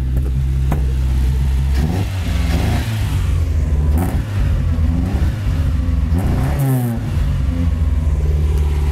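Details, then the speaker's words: Mitsubishi Cordia after sitting about eight years, fresh gas, cleaned fuel filter, new battery, pod filter and straight-through exhaust: loud revs repeatedly hitting a choppy cut-out, pulls cleanly; rev limiter bouncing. "it's got a young Kobe on the air and a straight-through exhaust back in listen to their BR rev limiter"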